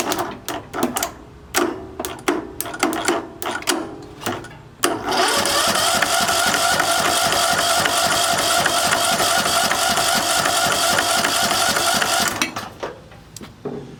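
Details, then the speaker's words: Curbside junked John Deere riding mower, spark plug pulled to check for spark, starter jumped directly: sharp clicks, then a steady fast whirring crank for about seven seconds that never catches; owner thinks it gets fuel, cause unknown. "Still didn't want to act like it was gonna start. Wasn't like it wasn't getting fuel, but listen."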